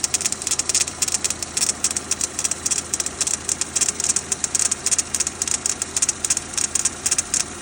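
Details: Renault Duster 2.0 F4R, 2017, cold start: sharp, regular ticking about twice a second over a quiet idle. It lasts about 2 minutes after a cold start, then stops until the next morning; the cause of the knock is unknown.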